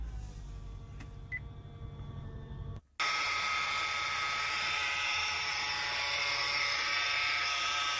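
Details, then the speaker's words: 2013-2017 Honda Accord recorded from inside the cabin at start and while driving: steady high whine over engine noise, rising in pitch and volume with acceleration, a supercharger-like sound; a dragging worn tensioner pulley bearing. "it has some drag to it so it's creating a noise and if you keep watching in these videos you will see what i mean as you accelerate the noise will get higher and louder"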